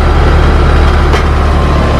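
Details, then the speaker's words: Compressor started with an AMRAD Turbo Easy Start universal hard-start kit (potential relay plus start capacitor; black wire to common, white to herm): it starts right up at 77.2 A inrush. Steady, even, low hum without labouring; normal compressor run. "starts right up 77.2 amps that's what we're looking for"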